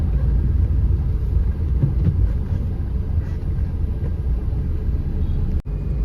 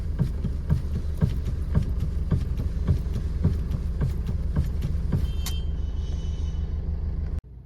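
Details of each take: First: 2013 Maruti SX4 diesel, about 2 lakh km, after steering ball joint, tie rod ends, shocks and bushes replaced, driving: even road rumble with no knocks or clunks; steering free and the earlier left-side knock is gone. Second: 2013 Maruti SX4 diesel, about 2 lakh km: steady idle with dull clunks about three per second as the steering is turned side to side while stationary; worn steering rack bush, also knocking on rough roads from left side.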